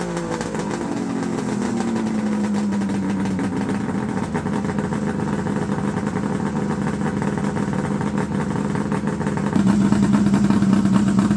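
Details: Fire-damaged Ski-Doo Summit Mach Z two-stroke sled after restoration work: a raspy, steady idle buzz, lifting a little when blipped near the end; it runs evenly and sounds healthy.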